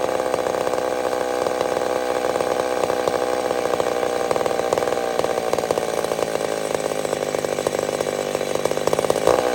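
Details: Old McCulloch Super Pro 70 chainsaw cutting on a hot evening: strong, steady high buzz holds under load without surging. Cuts cleanly and runs healthy.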